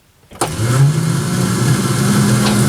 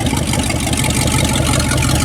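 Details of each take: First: 1967 Dodge Dart sitting 5+ years, newly installed starter, in park: free whirring whine that climbs then sags with no crank beats; starter spins but doesn't engage the flywheel. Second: 1967 Dodge Dart that sat over five years, first run. Loud, raw, deep exhaust rumble from open headers with a steady idle and no misfire; running fine.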